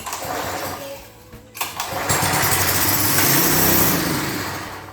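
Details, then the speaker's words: Lawn edger with 3.5 HP Tecumseh engine, fuel forced in: short crank with a few pops, then it catches and runs at a steady fast idle; spark had been weak. "We may be on something. Now, that's a lot better. A hand spark, apparently it was weak."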